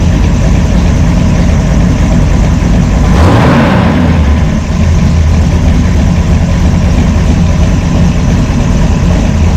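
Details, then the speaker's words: Brawler 650 CFM double-pumper carb, timing 16° initial and 36° total, idle mixture screws tuned by vacuum gauge to peak vacuum: a deep, loping cam idle holding a steady rhythm without hunting. Normal idle. "Turn it out a quarter turn. Drop. Goes back in. Comes back up. That's where it wants to be. Likes 12."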